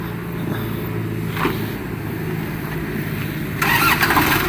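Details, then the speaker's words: Kubota L1-265 tractor, 4-cylinder 26 hp diesel, 4WD, new battery, cold start without glow plugs: fires up easily without hesitation and settles into an even, steady clatter with no misses or knocks, no blow-by. "ติดง่ายครับเครื่องยนต์เล็กนะครับคันนี้ไม่ต้องเผาหัว"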